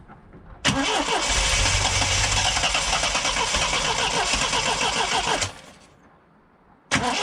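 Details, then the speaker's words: Triumph TR7 with twin HS6 SU carbs: engine runs ragged about five seconds then dies when the choke is taken off; owner suspects it is running far too lean and plans to check for air leaks. "As you can hear, there's absolutely no way she can start without choke. So she's obviously not getting enough fuel. Uh it's running far too lean."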